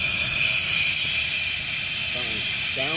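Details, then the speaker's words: Workshop compressor just after shutdown, with no motor running: a loud, steady high hiss of escaping air from one spot, and pressure drops immediately. It had been vibrating and oscillating before. "So it's immediately dropping pressure."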